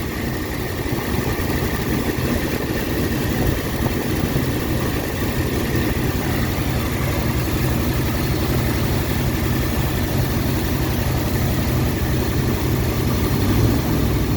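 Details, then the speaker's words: 1959 Ford Galaxie Fairlane 500 V8, off the road 14 years, auxiliary pump switched off so it will run out of fuel: steady, smooth idle with soft low rumble, no knocks, misses or surging; slight smoke and haze expected after long storage. "It sure is idling nice though. There's a little smoke, a little haze. But that's to be expected. She hasn't run in a very long time."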